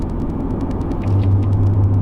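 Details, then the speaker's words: 2017-2020 Ford F-150 driving at low speed: low road rumble, then a steady deep droning growl; it worsens and is felt in the steering wheel when turning left, indicating a bad right front wheel hub bearing. "yeah there's that sound I was turning to the right now I'm going to turn to the left it's getting worse not necessarily audibly but when I turn to the left I can actually feel that growl in the steering wheel which means that it's the right front"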